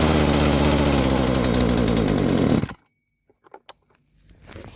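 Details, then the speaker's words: Poulan Pro chainsaw that won't stay running, after lowering the low-speed screw until the chain stopped: buzzy, uneven run for a couple of seconds then abrupt stall, won't hold idle; owner suspects carburetor mistuned or flooded, or debris from fuel. "I think she might need to rest for a little bit cuz sounds like the carburetor is not right where I want it to be"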